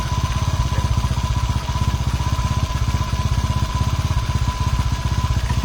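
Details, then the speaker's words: Honda CG110 rebuilt to 125cc with 5-speed, first start before valve adjustment: single-cylinder idle with loud, deep chuffing pulse coming from the open carburetor intake. "คือสตาร์ทเครื่องครั้งแรกยังไม่ได้ตั้งวาล์วนะครับเดี๋ยวต้องรอตั้งวาล์วอีกรอบนึงนะครับตัวนี้ที่เสียงดังเนี่ยก็คือเสียงดังปากคาร์บูนะ"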